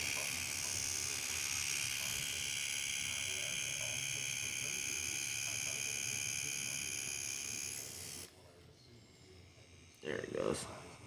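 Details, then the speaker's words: EZ V-Select 1207RL tight-taper cartridge on a Q6 rotary tattoo machine (3.5 mm stroke) at around 6 V: fast steady buzz with a slightly rough chatter as the needle contacts the plunger inside the cartridge. "a little chattery but it did sound like that noise is coming from inside we're just making contact with the plunger"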